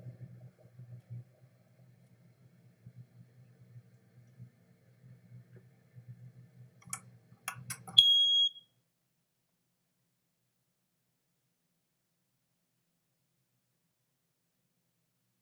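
A few clicks from the test button, then a sharp, piercing high beep for about half a second; the alarm sounds and works.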